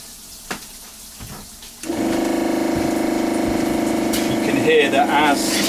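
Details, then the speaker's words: Narrowboat fresh-water pressure pump with diaphragm: tap opened to drop pressure, pump cuts in with steady buzzing hum and rapid pulsing about 3-4 per second, maintaining flow; running normally. "the pump has kicked in and through the dropping pressure is maintaining the flow of water through the boat"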